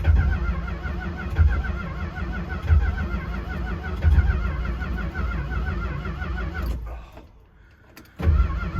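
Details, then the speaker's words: 1964 Chrysler New Yorker V8 parked for two years, carb primed with quick start: steady cranking with weak, sputtering catches that never pick up; owner suspects the cap and the plug wires, which keep lifting off. "oh feels close well i've had absolutely no luck getting the car to start it was sputtering i think the problem has to do with the cap and the wires"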